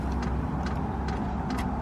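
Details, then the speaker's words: Van diesel heater in Alaska, remote reading 11 degrees internal, being primed: light, sharp fuel-pump ticks about two to three a second over a low hum, fuel seen going down. Normal fuel pump priming clicks. "And then you can hear the fuel pump going. It is priming? It is. So that clicking sound is the fuel pump."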